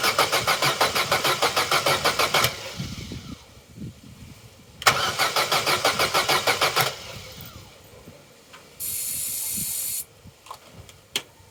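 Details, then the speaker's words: Vauxhall Corsa B left sitting 4–5 years, new battery at 12.1 V: two bursts of even cranking about three compressions a second, never firing; it ran briefly with fuel fed through the intake, so spark works and the fault is suspected in fuelling. "that may not seem like much to some but that is significant we know the engine can run and we know the fault lies in the fueling"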